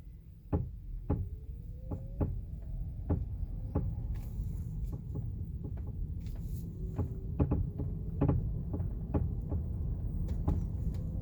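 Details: 2018 Chevrolet Bolt at low speed, after dealer replaced stabilizer bar and right link: sharp irregular clunks and creaks every half second to second over quiet road rumble; suspension creak persists, cause unknown.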